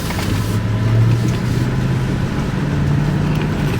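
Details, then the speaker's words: Auction-bought truck, first drive home, automatic transmission: engine drone climbs then steps down cleanly through three upshifts, no slipping flare or clunk; transmission solid, normal upshifts. "okay that's one gear so far so good that's two gears all right all right one more there we go baby transmission is solid"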